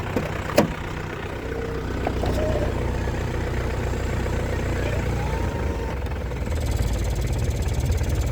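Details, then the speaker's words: 2001 Isuzu Panther LS manual diesel at idle; steady, even low clatter with no stumbles or ticks, stable, smooth, healthy idle. "Stasionernya enak, mesinnya stabil, itu tidak pincang ya suaranya. Tidak ada yang aneh-aneh, tidak ada yang tak tak, tidak ada."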